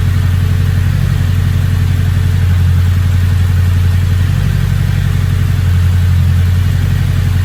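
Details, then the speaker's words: Engine with a big turbo, now idling a lot better, turbo not spooling: deep, steady idle with an even low beat, no hunting or stumbling; no check engine light, good oil pressure, normal. "Yeah, it's idling a lot better now. Turbo's not even spooling."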